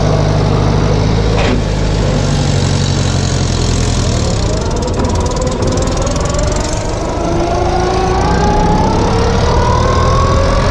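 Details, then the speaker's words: 1962 Farmall 140 tractor engine that sat over 10 years, after the ignition wiring was corrected (it had been firing the wrong cylinder), rumbles steadily and pulls evenly with no misfire; now runs well. "not believe how much of a difference that made the engine sounds good"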